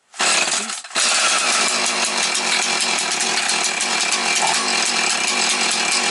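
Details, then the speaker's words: Husqvarna 445 chainsaw (X-Torq), cold start with low idle speed set: it fires, nearly dies, then picks up to a busy rasping run that wavers. The owner says these saws hesitate when cold until warmed up, and might start quicker with the choke more open. "Вони мають провали на холодно щоб ви знали того треба не боятись бо тому що система ексторків стоїть і вона мусить добре нагрітися"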